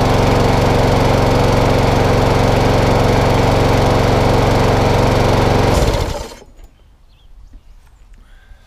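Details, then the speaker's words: Mower with a Quantum engine, carburetor cleaned, partly dismantled, with a failed dead man's handle cable: even, steady putter from the small single-cylinder engine for several seconds, then it winds down and stops; engine runs fine. "All running. It just wants a bit, and again, it wants a bit more love and attention on it."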